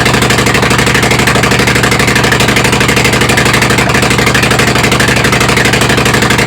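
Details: Kohler Command CH18-CH25 V-twin on tractor, carb fitted with added throttle stop: holds a fast, even-pulsing idle on its own without starting fluid, though not fully sorted and running off a battery cable; uneven idle.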